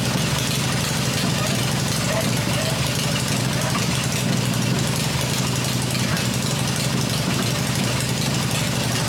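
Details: Freshly rebuilt black Harley Evo V-twin motor idling on an engine test stand with open exhaust: even, steady rumble with no knocks or misses; running the way it should.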